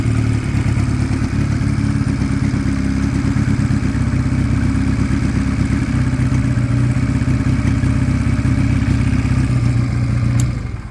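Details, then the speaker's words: Sinnis Cruisestar 125cc Chinese single-cylinder motorcycle after a long idle, possibly running old fuel: idle sits steady and slightly high without settling, then dies away; hanging revs, cause not pinned down. "I probably need to switch it off, because and look, the revs are hanging again. Not for too long though."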